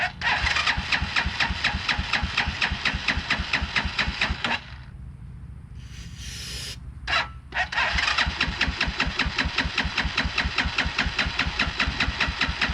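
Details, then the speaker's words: 2010 Dongfeng DF250RTB 250cc single-cylinder air-cooled motorcycle, sat about 10 years: fires and chugs unevenly, then stalls because the choke was taken off too soon; restarted and runs. "it fired a little bit okay off the choke too soon well it runs well"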